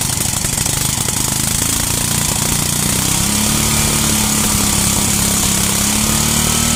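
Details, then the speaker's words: 33-year-old yard-sale Homelite 8 hp 4,000–4,400 W generator holding a steady governed speed with an even chuffing beat, no knocks; runs and makes power, though it leaks gas. "Well, so it works. It runs, makes power, leaks gas. Not a big deal."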